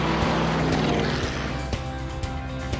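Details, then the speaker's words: 1969 Dodge Charger factory V8, after a rebuild that fixed a crank-but-no-fire fault: deep, even rumble with a steady beat and a couple of throttle blips. It sounds healthy. "Oh, let's have a listen. Yes! Woo! Whoa, look at that! What a sound. Oh, that is great, that is."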